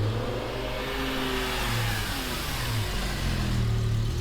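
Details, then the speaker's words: BMW M6 V10 just rebuilt and running again after the new clutch was reprogrammed: a strong, clean pull under acceleration with an even rising note and no knocks or misses. Normal, healthy engine sound. "It sounds good. This is insane, guys."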